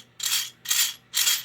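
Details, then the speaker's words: Lionel 2020/6020W model train tender with dry, unlubricated wheel axles: three short bursts of rough, hissing grind as the small wheels spin before oiling; it runs quiet after oil. "vibrations, so they're due for some lubrication. Just picking them up a little bit, getting the axle exposed, and putting a little bit of oil."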